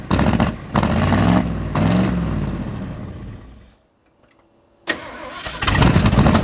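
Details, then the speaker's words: 1979 Ford F150 with modified 351 V8, long abandoned, started on fuel poured down the carburetor: catches, runs rough a few seconds, dies, restarts unevenly; won't stay running, carburetor/fuel pump fault suspected. "It just doesn't want to stay running. That carburetor fuel pump, something's all messed up on it."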